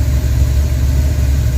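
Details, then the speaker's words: Engine idling smoothly with a steady, even low rumble, no misses or hunting, after a little choke was applied; tachometer just installed and working. Normal idle. "Gave it a little bit of choke and it's idling just fine now."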